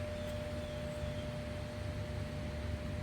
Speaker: I hear that buzzing sound. So, inside here, we've got a a blower wheel. Yeah, that got real hot.